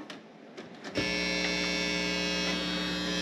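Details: Steady buzz with a thin high whine as several audio sources connect through a USB audio mixer: a ground loop via the grounded PC chassis, gone when the speakers are unplugged; fixed with a stereo direct box and a hum eliminator.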